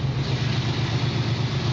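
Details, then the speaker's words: 1967 Chevrolet Camaro at idle after the electric choke brought it down quickly: even, steady low burble with regular pulses and no ticks or knocks, a healthy smooth idle. "première vue un moteur qui tourne bien on livre pas il s'est mis au ralenti donc par l'intermédiaire du starter électrique c'est mieux ralentit très vite et ils tournent très régulièrement"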